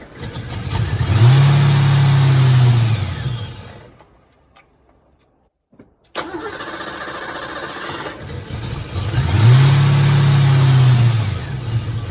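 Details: 1986 Ford Mustang GT V8, long-sitting original car: catches after cranking, revs and drops, stalls, restarts surging unevenly; hard start and rough running, likely bad fuel pump or its hanger hose.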